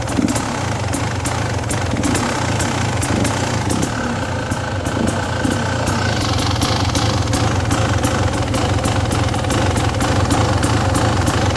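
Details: 2017 XT two-stroke dirt bike at steady throttle, sea level, about 60°F, stutters with irregular sharp misfire pops about three a second; also surges when riding, sometimes faint cylinder knock; same across tested jetting.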